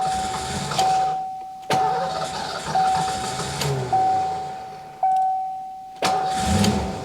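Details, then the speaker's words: 1990 Ford Mustang GT Fox Body 5.0 V8 barn find, dormant 30 years, easy start sprayed into intake: starter whirs in repeated short bursts with steady whine, engine turns over but never fires; crank no start. "So, that wasn't particularly successful."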